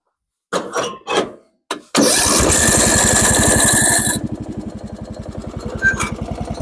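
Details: Lawn tractor with freshly rebuilt single-cylinder engine, new battery, starter and plugs, jump-started with a booster: catches and runs strong, then lumpy idle rising and sagging; idle still unstable, owner will tighten the accelerator rod, which keeps jumping.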